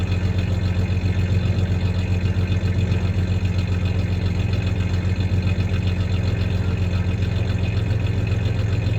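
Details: 1993 Ford Ranger 3.0 V6 idling then a little rev; low mostly even rumble with a slight recurring stumble, mild misfire at idle; any clanking is loose tie-downs in the bed, not the misfire.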